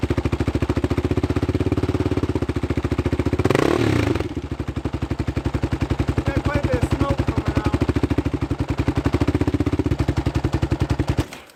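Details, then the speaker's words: Yamaha Raptor 660 single-cylinder quad, slightly smoky; lumpy uneven thumping at about three and a half pulses a second, owner suspects cam timing has jumped and plans to check and retime. "the way this sounds it sounds like a timing issue to me it's slightly smoky as well so i need to tear it apart"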